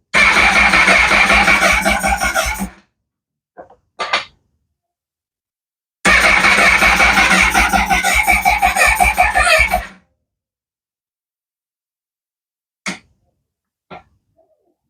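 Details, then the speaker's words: Honda motorcycle cranking steadily in two bursts at about three turns a second, never firing, with the FI light on the dash. A different set of clocks was fitted, fuses are intact and relays unchecked; a faulty ECU is suspected as the cause, with no fuel injection. "Still nothing. We've got an FI light on the dash."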